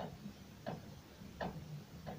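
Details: Renault Duster with knocks in the front suspension on starting off and stopping, heard from underneath while the steering is rocked. Dull clicks roughly every 0.7 seconds point to play, with the tie rod end suspected but not confirmed.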